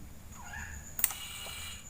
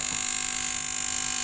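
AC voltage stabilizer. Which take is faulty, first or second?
second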